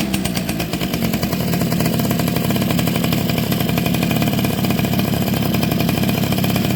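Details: Two-stroke motorcycle engine (Suzuki RC110 / Yamaha Y100 type) after replacing a hardened, internally leaking crankcase seal that had prevented starting. Crisp, steady idle holding an even, rapid buzz without stumbling. Now runs healthy.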